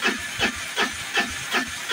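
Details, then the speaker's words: Peugeot BS4 auto-rickshaw on a long self-start crank: steady hissing strokes about two and a half a second, never catching; no-start due to incorrect tappet (valve clearance) setting. "य देख सकते आप काफी ज्यादा लंबा round ले और स्टार्ट इजन नहीं हो पा रहा"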